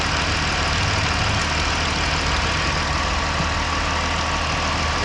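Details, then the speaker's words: 2017 Dodge Ram 1500 3.6L at about 105-106k miles, after repairing failed lifters/roller followers and cam that caused ticking: smooth, even idle with steady low rumble, no ticking or clatter; residual smoke from burning oil; normal idle. "All right, so we are here with the final product. Listen to her purr."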